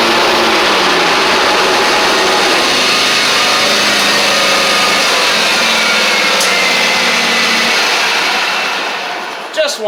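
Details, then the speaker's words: John Deere X350 mower after a full service with new blades, belts and battery, deck lowered and blades engaged: a smooth steady engine with even blade whir and no scraping, then it winds down; it sounds better now. "It sounds like it's doing better now. May have just been where I took them off and did all that good stuff."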